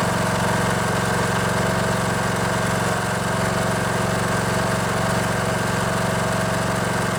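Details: Poulan Pro riding mower with a Briggs & Stratton Intech 19.5 hp engine, started after the fuel solenoid under the carburetor was cleaned and clicking again. It runs steady and even at a fast idle with no misses or knocks; healthy now.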